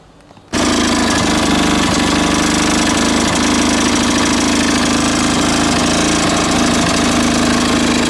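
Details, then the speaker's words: Small lawn mower engine running with a homemade big end bearing shell: revving hard and steady with a fast rattly tick about four per second; source unclear, possibly engine, wrong spark plug, or blades. "no that ticking noise he's something else in the engine or not maybe the wrong spot plug in it I don't know"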